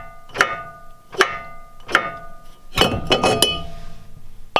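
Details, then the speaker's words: Wheel rocked by hand gives separate metallic clunks with a short ring each time. The brake rotor's bolt holes are too big, so it shifts on the hub, a fault a mechanic missed. "there's that there's that noise so watch router's too big the holes"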